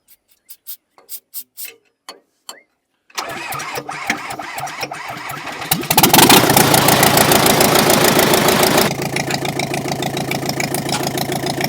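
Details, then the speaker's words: Komatsu dozer diesel after valve work: scattered clicks, a few seconds of cranking, then a strong, even diesel clatter settling to a steady idle; it starts and runs fine. "all right Jacob we got that done that really sounds good"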